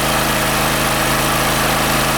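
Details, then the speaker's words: OKAY 2.5 kW max / 2.2 kW rated inverter generator carrying about 2.7 kW including a 2 kW kettle: steady, even drone and constant hum, no hunting or surging, no overload light. Healthy running under load. "And now 2.70 is more than even 2 kW and the generator works reliably. Look , there is no overload light, it works reliably, it produces all the declared load."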